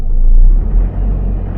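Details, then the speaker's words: Holden Rodeo 4JJ1 3.0L diesel after cleaning carbon-stuck EGR valve and choked intake manifold, adjusting valves, bleeding injector lines; previously wouldn't rev past idle: deep rumble revs cleanly and falls back without stumbling, check-engine light off; sounds healthy. "Alright, the engine light has gone off. Nice. That's sounding a lot better."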